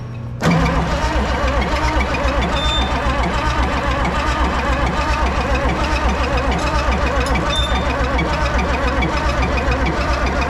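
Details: Oliver Super 88 tractor after sitting 20 years, cranking: uneven, slow chug of about 72 beats a minute and it never catches; weak compression was later found.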